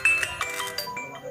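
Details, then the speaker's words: Xiaomi Redmi 4A that had no sound, after an IC replacement: short chiming ringtone comes through clear with slight rasp from the loudspeaker; speaker working again. "berfungsi, meskipun agak serak, dari speakernya. Tapi yang penting suaranya sudah kembali,"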